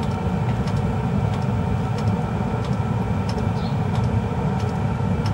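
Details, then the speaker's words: Webasto Airtop heater after repair from water immersion, with heating mode on and the burner igniting: steady low fan roar with an even burner rumble and no errors on the display, working properly. "arzătorul începe să se aprindă și, prin urmare, începe să furnizeze căldură și nu mai sunt erori pe afișaj"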